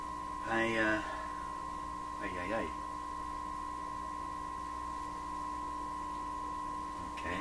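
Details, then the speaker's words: 1928 RCA Victor Model 28V garbled-sound investigation, signal generator fed at very high level straight into the TRF signal tracer: a roughly one kilohertz tone warbles instead of ringing clean, same garble as the antenna gave; distortion source unconfirmed. "There should be a nice clean tone there. So we're getting the very same effect that my antenna was producing, now right out of the signal generator like this."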